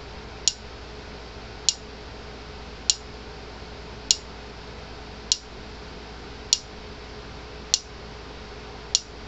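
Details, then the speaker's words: Repaired Gallagher M400 electric fencer, 8.3 kV on a fault finder, spark test: crisp, evenly spaced snaps at about fifty per minute with consistent strength, a nice hot shot, normal spark discharge pulses. "nice hot shot coming from it so this one's done"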